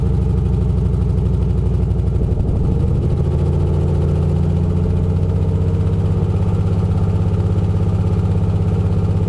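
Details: 1994 Corvette LT1 V8 in a 1995 Z28, 32k original miles, longtube headers, dual Flowmasters, no cats: loud deep exhaust with an uneven stumbling pulse as revs step 2k–4k; misfire persists despite new Opti, plugs, wires, TPS, fuel pump and filter.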